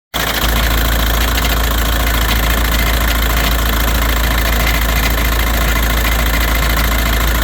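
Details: 2006 VW Jetta 1.9L BRM TDI diesel idling: heavy low rumble with a loose, uneven metallic clunking rattle, present since owner bought it; cause unknown, owner first assumed undercarriage rattle.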